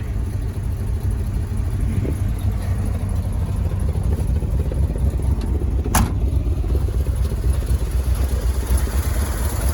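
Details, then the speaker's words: 1971 Ford F250 Highboy V8 after a cold start in snow: a deep, uneven, loping idle, normal for its new performance cam. The manual-choke high idle is not set right, with a slight exhaust donut leak. "she's gonna be a little bit lopey because it's got a cam now but we'll get her set just right"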